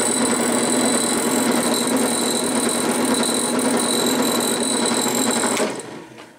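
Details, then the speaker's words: Budget drill press, Harbor Freight or WEN, not bolted down: motor hums steadily under a fast, loose rattle from the belt cover lid, then spins down. "but you can hear that rattle D here is actually just the lid there"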